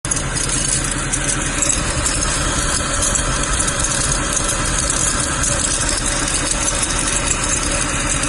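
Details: Mercedes W204 C63 idling with a fast metallic rattle and chatter at the front of the engine, from a worn accessory pulley that needs replacing.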